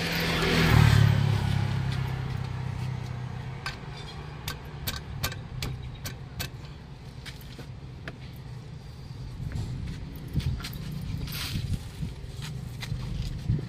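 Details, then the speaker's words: Kia Rio suspected of timing chain noise; the mechanic diagnosed the AC compressor. Started with the accessory belt off, it gives a steady low hum with light, even ticking and no whine, even when revved. The engine itself is quiet, so the noise is external. "Diba nawala? Yun. Rev mo sir. Rev lang to. Diba wala? Ibig sabihin nasa labas lang yung problema."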